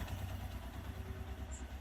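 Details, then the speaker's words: Suzuki GS 150 SE idling after timing chain tensioner adjustment: an even single-cylinder beat with only a light tappet tick; the earlier clattering timing chain noise is gone. "जो कि अब नहीं आ रही अब सिर्फ टपट का sound आ रहा है टक टक टक टक हल्का सा ना अगर आप गौर से सुनेंगे इसको तो आई थिंक दिस इ परफेक्ट"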